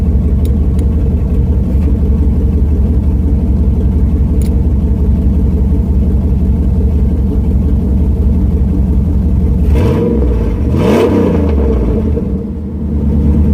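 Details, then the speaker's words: Truck with new headers, muffler removed leaving a straight pipe from the cat, small exhaust leak still suspected: loud, deep, raspy idle, then two sharp barking rev blips; sounds good and not as loud as expected. "so there we go guys i got my muffler deleted and it actually sounds pretty good and it's not too loud so i was quite surprised you know"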